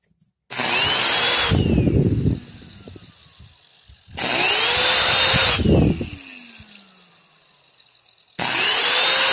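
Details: Vacuum cleaner after repair, reassembled and cleaned (it had sometimes not worked and made a suspicious sound, motor or switch contact suspected); motor spins up to a high steady whine and spools down several times, clean and even, no rattle.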